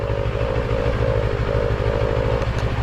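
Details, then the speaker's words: TFT dash cowl bracket held by two screws: with the screws tightened, a buzzing hum rises and falls over the engine thrum. The cowl vibrates against its mounts; loosening the screws removes the noise. "once you tighten it there's the noise you hear the"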